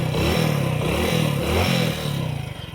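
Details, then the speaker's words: Motorcycle that would not start, now repaired and in full OK condition. The engine revs up cleanly a few times and drops back to a smooth, even idle without misses. Normal running. "और गाड़ी एकदम पूरा full okay condition में है। देख सकते हैं।"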